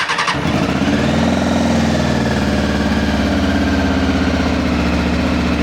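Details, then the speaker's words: 2000 Honda CBR600 project from a hedge, just started cold once the immobiliser recognised the key: lumpy, uneven idle with a wavering low beat; running rough, owner suspects an exhaust blow and unbalanced carbs, unconfirmed. "So, I've just managed to get it to start. So, sounds a bit rough, but let's let's see if it'll start again."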